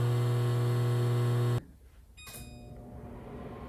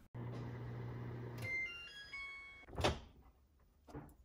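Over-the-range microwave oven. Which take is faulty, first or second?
first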